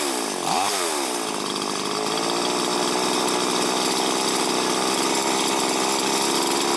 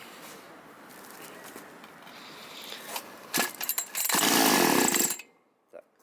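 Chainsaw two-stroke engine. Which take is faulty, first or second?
second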